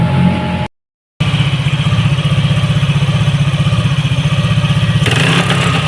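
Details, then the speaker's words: Yamaha NMAX all-new v.2 scooter after repair of ignition system, some parts replaced and sticky throttle cable cleaned and lubed: even, steady idle with crisp rev blip, no stumbling or dying. "ส่วนสายคั้นเร่งที่ฝืดนะครับนี่ครับแก้เรียบร้อยครับนี่ครับติดสบายสบาย"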